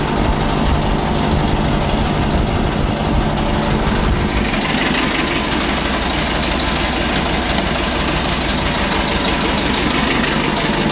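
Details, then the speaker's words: Diesel engine warmed to operating temperature (about 80°C) under fixed 3 kW load, half a litre of standard diesel as baseline before crude-oil/kerosene test fuel; dense, steady clatter at constant speed, no surges, misses or knocks; ran 24 minutes. "we've got a fixed load of three kilowatts so i'll pause this we'll fire it up with the half liter in it and start the timer it's 10 51. we've got half a liter of normal diesel in there we're firing it up now"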